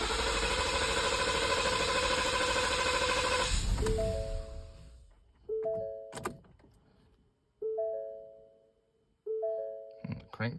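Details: 2019 Ford Explorer 3.5 naturally aspirated V6, new battery, fuel pump replaced earlier: intermittent no-start, several seconds of steady cranking with no catch, then door chimes; no check-engine light or codes, cause unknown.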